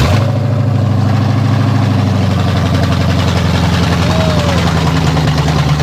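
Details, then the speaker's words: Coyote-swapped Fox body Mustang, restarted after its first start, fuel pressure noted as too high: loud, deep, even V8 rumble with a steady beat and no knocks or misses; idles cleanly. "She is alive. She's alive. All right, Brian, what do you think? It's awesome. I mean, It's awesome. dude, it's running."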